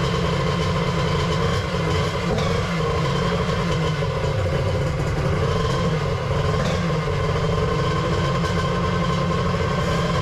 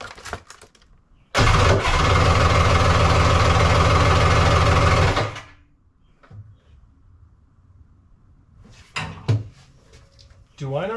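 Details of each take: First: 1100 X2 triple two-stroke at its first fire-up after the build: loud, busy drone holding steady at one speed with no misses, knocks or surging. Running properly. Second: 1100 triple X2, first fire-up with a 750 stator/timing cover: catches, runs about four seconds with a pulsing drone, then stops abruptly and kicks back; owner thinks timing is way too advanced.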